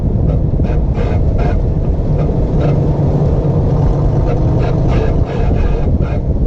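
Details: 1958 Corvette driven in tight left-turn circles: low road rumble with rhythmic scraping about twice a second tracking wheel speed, from the right rear wheel; no noise in tight right turns.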